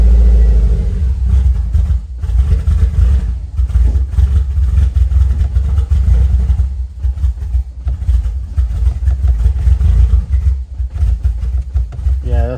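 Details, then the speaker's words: Subaru WRX STI after a COBB stage 2 off-the-shelf tune: loud, deep, ragged rumble that never settles into an even rhythm; engine running rough after tuning, cause unknown, owner may reset the tune. "it doesn't sound good I'm gonna have to call a cab tomorrow and see what they tell me because she doesn't sound very good"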